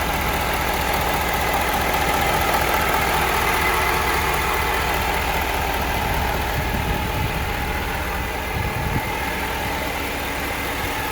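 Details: 2016 Ford 6.7 Powerstroke diesel truck with 20,000 miles, runs fine, idling evenly with a steady high-pitched whine over the engine clatter; owner unsure of the source, never noticed it before.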